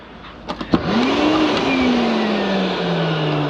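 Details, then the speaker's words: Hoover Celebrity QS canister vacuum of unknown condition, switched on for a first test: a couple of switch clicks, then the motor spins up into a steady hum whose tone settles smoothly. It runs evenly and sounds good. "works sounds real good actually uh let's make sure the nozzle works"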